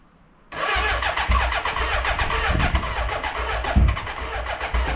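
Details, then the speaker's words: BMW K100 café racer build, first start after wiring and fuelling, retried after a suspected tired battery: cranks, then fires raggedly for a few seconds without settling to idle and dies; owner assumes fuel mixture is the cause. "it actually fired to laugh properly but not for very long before it died so I'm assuming this is my mixture"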